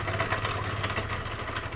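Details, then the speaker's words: Honda Vario scooter, rough noise from CVT and low power: coarse rattly roughness over the engine note from the belt-drive side, caused by badly worn, too-loose roller housing bushing and rollers, not the engine; roller housing set needs replacing. "karena space-nya ini terlalu longgar bisa dikatakan Ini sudah parah ya Ini sudah parah biasanya space-nya itu ada ada space sedikit itu juga menimbulkan suara Makanya ini suaranya kasar di bagian CVT"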